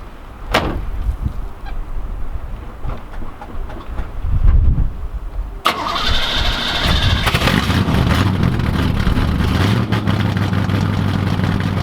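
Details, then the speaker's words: 1986 Camaro IROC-Z V8 cold start after the electronic choke, previously hardwired wide open, was adjusted; a few clunks, then it cranks, catches at once and settles into a steady, even cold idle without stumbling. "So you can hear the car running in the background right now, and the only thing I really did to get this working with the cold start is got the electronic choke actually adjusted and set up, because prior to me touching it, it was actually hardwired wide open."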